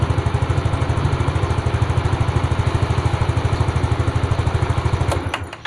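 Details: Fuel-injected Yamaha Fino scooter, long parked with hard or intermittent starting, after spark plug cap bypassed: quick, steady single-cylinder thumping at an even idle for several seconds before switching off, no misses; normal idle, spark plug cap suspected faulty.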